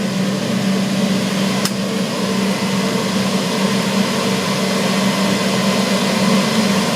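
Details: Old boiler-room cascade burner running after a Siemens RLU222 controller replaced a Polygyr RWF21.20, set to stop at 72 °C flow: steady roar with constant low hum, no surging, popping or pulsing; burner firing evenly and running normally.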